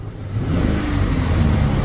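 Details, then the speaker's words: 2007 Chevy Express 3500 van V8, warming up after a Motor Medic flush, revved in place because of a blown transmission: a short rev rising smoothly and cleanly with no top-end ticking. The earlier lifter tick is gone; normal revving. "Listen to this thing, smooth as can be. Yeah, I'm gonna give her Motor Medic some credit here. She's fixed up good."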